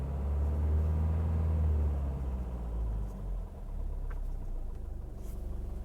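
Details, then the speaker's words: 1977 Mercedes-Benz 240D (W123) diesel, cooled somewhat, oil pressure 45. The idle control is set to about 500 rpm; a deep, even diesel rumble dips briefly, then settles into a smooth, low idle with no knocking. "this is the idle control you can hear that it is down at about 500 RPMs there and this is about where I like to keep it right there"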